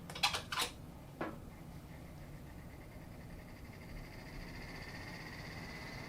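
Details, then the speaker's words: 1990s Lakewood T-99 twin window fan, before restoration, started on low: clicks at switch-on, then a thin high squeal builds over the hum; owner suspects a dry bearing in the left fan needing oil. "so you can really hear that dry bearing I think it's coming from the left fan"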